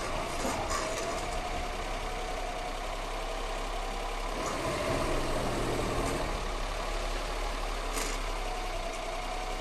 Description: Strange noises when break is warm only.